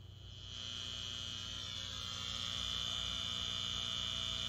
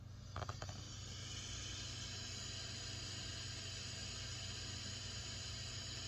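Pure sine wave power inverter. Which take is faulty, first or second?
first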